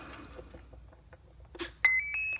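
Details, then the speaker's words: Drone wing build, battery plugged in: a short run of high, clear ESC beeps rising in pitch over faint handling noise, with no receiver set up yet and the motor clicking; normal ESC startup beeps. "So now what we're going to do is we're going to plug it in. Now, what we should hear the motor ESC."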